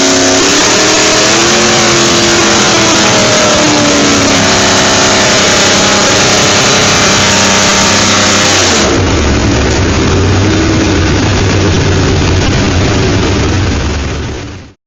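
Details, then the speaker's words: Newly rebuilt Mosler engine on the DTW Engineering dyno, eight throttle linkages set, climbing the rev range: crisp, even firing under load with no knocks, misses or rattles; healthy. "So far, sounding really nice. Don't know whether you can hear that in the background, hopefully you can. Sounding really crisp, really nice. Sounds like the rebuild's been very successful"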